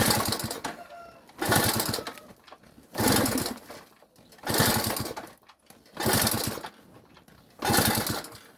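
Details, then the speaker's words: Delta moped, cold start attempt on bottled petrol after fuel that sat in the tank, ignition not checked: repeated kick bursts about every 1.5 s with a chuffing rhythm but never catches; won't start. "А так поки що поки щось воно не дуже заводиться."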